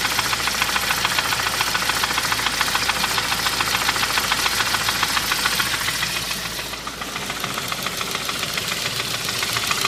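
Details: 2001 Saab 9-5 at idle: steady rapid knock about two per second; main and rod bearings already replaced without fixing it, lifters unstuck; owner suspects timing or clicking lifters, also wonders about pulleys; cause unconfirmed.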